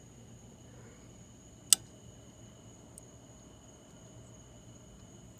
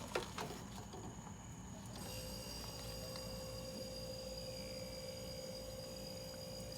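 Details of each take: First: Mini dorm refrigerator that is not cooling, plugged in: a single sharp click over a faint hum as the compressor tries but fails to start; the thermostat is ruled out, so the compressor or start device is suspected. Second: Mini dorm refrigerator that was not cooling and clicking: couple of handling clicks, then compressor kicks in with a steady, even hum and whine after plugging back in; normal compressor start and steady run.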